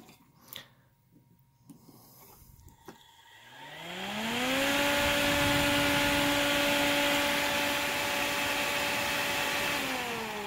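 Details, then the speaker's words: AC brushless electronic box fan, designed to be quiet, powered up: after handling clicks a steady hum climbs to full speed, holds evenly, then eases off; runs healthy. "and so that's why I collect these because they are actually more these are designed to be pretty quiet"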